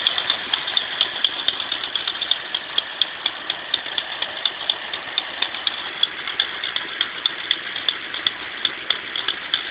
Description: My 1995 Mustang 351W, cant figure out if it's an exhaust leak or a lifter tick.